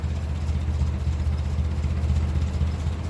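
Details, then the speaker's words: 1957 Ferguson 35 TVO tractor after valve clearance readjustment, idling just under 500 rpm: low, even beat with no valve tapping, fan belt audible; sounds better than ever. "it sounds better than it ever sounded so we'll see how long it stays sounding like that I don't mind doing it again as long as it stays good we don't hear it tap tap tap tap"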